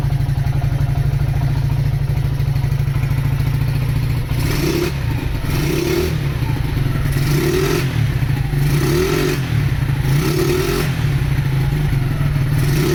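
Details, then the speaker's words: Honda GL100 CDI before its rebuild, with weak power and compression that is not very tight. A clattery idle and throttle blips carry a rattle that swells with revs, blamed on a noisy clutch. The carburettor runs erratically, the engine smokes, the head is fairly quiet and the exhaust is probably a local aftermarket one. "Nah, itu suara mesinnya. Ee yang paling kedengar itu suara berisik dari kopling ya. Kemudian karbo juga sudah saya bilang ngacau, terus ngebul juga."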